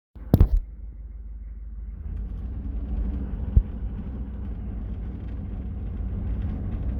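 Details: 6.5L diesel slow to warm up, idling rough and shaking with white smoke below 2k rpm: low rumble with uneven, lumpy texture and a sharp knock near the start.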